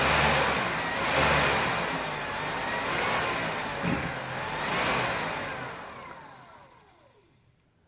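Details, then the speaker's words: Suzuki Carry van alternator converted to a motor, on a test bench, field backed off just below saturation, measured 5300 rpm by handheld tachometer: thin high whine holds steady then falls smoothly as rotor spins down; smooth, healthy high-speed running. "I had my little handheld tachometer and they were put into that and I was turning 5300 rpm"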